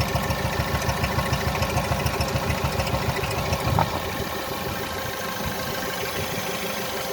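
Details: 1.6 THP direct-injection petrol engine (Peugeot/Citroen/Mini) smoking blue oil smoke, oil blown out around the valve cover from high crankcase pressure; idle pulses unevenly about two beats a second with a stumbling rhythm: rough idle misfire, cause suspected.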